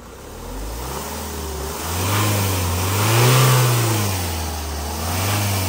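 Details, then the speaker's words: Ford Focus 2.0 diesel manual, power loss, limp mode, DPF/MAF codes, heavy smoke: revs rise and fall with a breathy rushing hiss swelling alongside, pointing to a boost-side air leak. "So, we can hear a hushing noise, which is a good sign. I'd like to hear this sort of noise cuz it eliminates the problem straight away."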